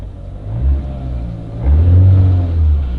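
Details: Engine started after accelerator pedal issue (reduced power mode) addressed, no check engine light: low rumble climbing smoothly twice and settling with no stumble or hesitation; pedal and throttle response work normally.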